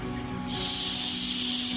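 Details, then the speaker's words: Series Land Rover twin leading shoe brakes, pressure bleeder pressurized from a tyre and attached to the master cylinder reservoir cap: sudden steady hiss; air leaking from the pressure bleeder. "Hear the air coming out of it."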